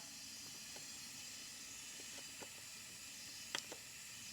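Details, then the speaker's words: Skoda Octavia vRS engine on leak-down test at 60 PSI, engine off, cap removed: faint steady hiss of air escaping into the crankcase, indicating a broken piston or ring failure; some leakage also at the spark plug seat. "don't know if you can hear it but that is the air escaping into the crank casee so that is our problem so yeah Air's escaping into the crank case of the car which means we have a piston broken or ring failure"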